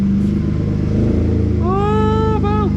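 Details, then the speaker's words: Chevrolet Cavalier V6 just started for the first time in 3 years on a NOCO jump pack; the alternator is charging around 16 V, likely because of the dead battery. It revs cleanly with a smooth rising pitch and settles to an even idle with no knocks or misses. "listen to that the V6 is"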